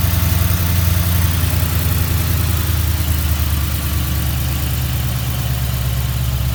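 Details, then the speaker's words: Mustang GT V8 idling after a bearing replacement to cure its knocking, with the oil pan and pickup cleaned; deep, even burble with no tapping or knock; the motor sounds good, though the radiator leaks water. "So, this will be the end of the video. The motor sounds good."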